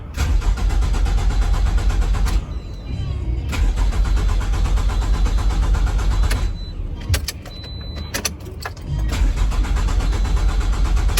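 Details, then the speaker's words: 2009 Pontiac Vibe, crank no start, towed from the highway: starter cranks in steady bursts with pauses, engine never catches, no pump hum; disconnected fuel line delivers not a drop, so fuel pump has failed. "it's putting out no fuel. And like I said, I don't hear it running, but sometimes they get quiet and you can't really hear them. It didn't put out a single drop of fuel, so it has a bad fuel pump."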